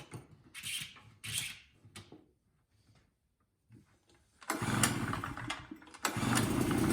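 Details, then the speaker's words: Small two-stroke tailgater generator, customer said it doesn't run; choked, fuel on, new spark plug, clean air filter: a few pull-start tugs, pause, then catches and settles into a steady, even buzz; started right up, runs fine. "Huh, that started right up for me. I let it run for a bit and it ran fine."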